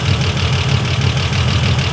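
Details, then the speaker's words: 1955 Ford Pop with Holley carb re-jetted to bigger jets: fast, even pulse with a solid low rumble, no misses or stumbles, sounds somewhat different than before; normal running. "should we take it for a spin it sounds quite nice now that's kind of nice but it certainly sounds a bit different"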